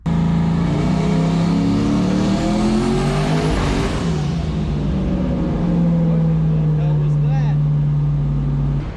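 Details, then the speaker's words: Foxbody Mustang making about 1000 hp, on a full-load boosted pull. Revs climb, then abruptly stumble and drop before surging back, like it is trying to shut off. Violent misfire and surge. Logs look fine; a loose connection or power drop is suspected. "this is a new situation all together so I don't really want to make any more runs on this thing because at this point it's kind of scares me I didn't really like the way that sounded at all"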